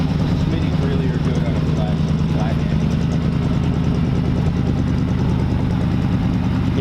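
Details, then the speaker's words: 1940 Ford convertible engine idling: low, soft, even burble with a dull muffled exhaust note, too mellow for a hot rod but suited to this car; healthy engine. "they're a really nice dull tone on them. They're, you know, I think they're a little too mellow for a hot rod, but for a car like this, they're pretty smart."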